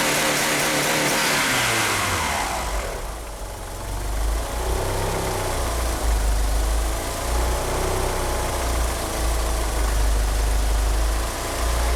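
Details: Car fitted with 850cc fuel injectors idles rough: uneven, stumbling, hunting idle that won't rev cleanly, with faint slip from the power steering pump belt.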